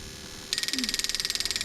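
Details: Bench test of a 1995-96 LS400 1UZ-FE to IS200 plug-and-play harness, firing each injector in turn on a crank signal: crisp, high, perfectly even clicking, about nineteen per second; the injector is working normally.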